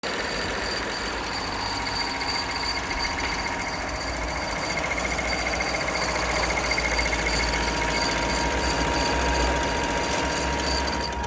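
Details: Sewing machine running at a steady speed with a hard rhythmic knock about three or four times a second over the whir; abnormal running noise.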